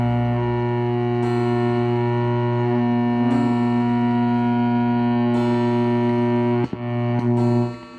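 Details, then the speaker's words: 1970s Zenith console radio on AM band: steady low constant-pitch hum under the whole clip, no stations received; source unknown, possibly interference. Knobs not scratchy and tone control works; a mantle clock ticks in the background. "Let's try AM. Lots of humming there. That could be interference from somewhere."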